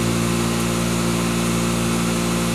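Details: 2013 Riedel 6-ton chiller under light tank load, one compressor running with hot gas bypass capacity control: steady, even hum with constant low drone, no knocks or rattles; sounds healthy.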